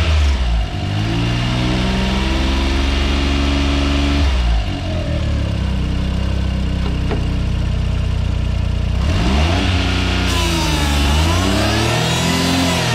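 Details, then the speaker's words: Suzuki AZ-1/Cara F6A DOHC engine, on lift, AC compressor on, after replacing old AC and alternator belts: revved twice, light whir rising and falling with revs; hissing gone, owner suspects noisy AC compressor, unconfirmed. "i'm going to rev it up a little bit because that nasty noise is from the revving"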